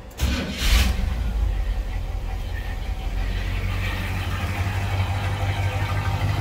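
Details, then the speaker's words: 1984 Chevy C20 square body service truck, warmed up, after all-new exhaust (previously ran choked) and front disc brakes: quick start into a low, steady, even V8 idle, no ticking, popping or smoke; smooth, sewing-machine quiet. "no smoke sounds like a sewing machine in here if you can hear it"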